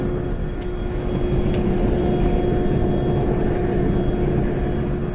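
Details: Shop forge burner relit on a second try after excess oxygen blew out the first flame and the fire eye shut off the gas, now heating up: steady, even roar over a constant blower hum, no popping or sputter; normal operation.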